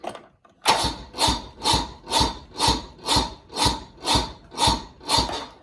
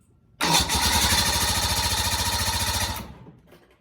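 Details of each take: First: 1986 Bass Tracker boat outboard, AGM Interstate battery, burnt wires smoking: slow labored cranking about two strokes a second without catching; owner doubts battery, suspects burnt wiring, possibly weak battery. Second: 1986 Bass Tracker boat outboard, previously not starting: cranks briefly, catches and runs steady and even for a few seconds before shutting off cleanly; bad battery was the problem.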